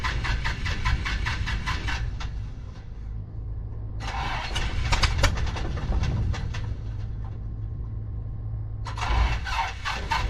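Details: 1974 Piper PA28-151 Warrior with bad magneto: repeated bursts of fast starter cranking that never catch; hard start, cranks but won't run.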